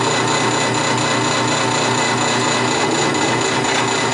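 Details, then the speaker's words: Nova woodturning lathe spinning a large, hard white oak blank: loud steady spinning hum with a faint regular pulsing rattle about three times a second; lathe vibrating, owner suspects something loose, cause unknown. "vibration I'm gonna have to check out my lathe it sounds like some something loose"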